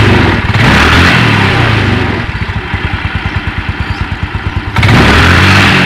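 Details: Yamaha Mio Sporty (around 2007) after repair: revs, settles to an even putter, then revs again; the CVT is smooth with no grinding. The kick-starter pin that rubbed the pulley shaft had caused the earlier rough noise.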